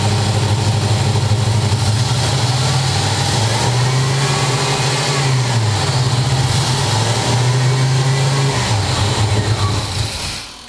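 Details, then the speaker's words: 8.3 engine at first fire with fuel newly in the tank: catches and runs rough and uneven for about ten seconds, then fades and dies on its own; cause of stalling unknown. "all right well whatever it fires i think um i'm not sure why it's doing that where it dies but we'll work it out it runs"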